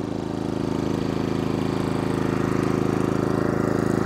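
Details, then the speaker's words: New Genmax 4500iBEFI fuel-injected inverter generator (maybe under an hour of use), running unloaded just after start, before a quarter-load test; smooth, even low putter at a steady pace with fairly quiet exhaust and no knocking; probably about as quiet as the same-engine dual-fuel unit. "Now I would say this is probably as quiet as the dual fuel unit. Seems to be the same."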